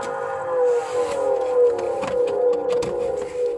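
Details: Swegon Casa W80 heat-recovery ventilation unit, heat exchanger removed, one fan motor disconnected to isolate; steady mid-pitched hum wavering slightly, fan motor humming from dirt buildup on impeller blades.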